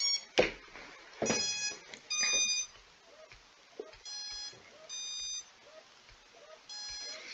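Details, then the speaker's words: Skystars 4-inch long-range quadcopter during Betaflight setup after remapping motor resources: short high-pitched beep bursts about once a second with no motor spinning; ESCs not yet properly configured. "we get the proper esc configuration in here that will stop"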